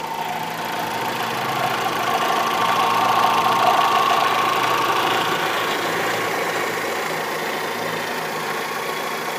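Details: Fiat Marea at idle: steady tapping of about three or four beats per second over the engine hum; engine knocking noise, source not identified.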